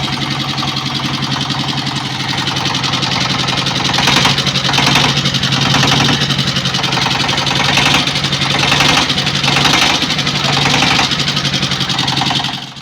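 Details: S-1115 single-cylinder rice-mill diesel before repair, complaint of thick black smoke, fuel use, coolant loss, low power: uneven thumping about four beats a second with clattery top end; loose valve lash and worn bearings, nozzle setting also suspected.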